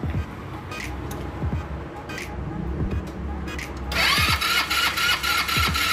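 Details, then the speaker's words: Customer's scooter CVT, cover off, a part found fitted backwards: quiet clicking, then on throttle a harsh metallic whine and scraping climbing with revs; suspected centrifugal or clutch part. "Podemos observar que el ruido viene prominente cuando la aceleramos. Posiblemente sea por la parte del centrífugo, probablemente sea por la parte del clutch."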